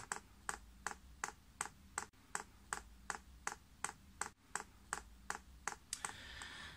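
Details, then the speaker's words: Chinese air heater on a workshop bench, LCD controller, priming on first use (paraffin fuel): crisp evenly spaced dosing pump ticks about 2.7 per second on a quiet background; pump priming normally. "I can hear that pumps clicking and easy fact now priming"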